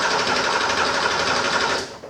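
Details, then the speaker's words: 1978 Porsche 911SC during compression testing: starter cranking with quick steady even compression pulses and none dropping out, so all six cylinders sound even or very close. "sounds pretty normal cranking um I'll show you that in a minute so that's what it sounds like cranking it sounds to me like they all have even compression or really really close"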